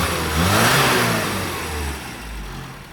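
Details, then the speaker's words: Carbureted car after fixing 26° of static advance (reset to 9°) and a too-lean needle, air filter removed: the engine revs up cleanly and drops back smoothly with no hesitation or popping. "revs up beautifully so we're now going to S uh send the owner out it and see what he thinks"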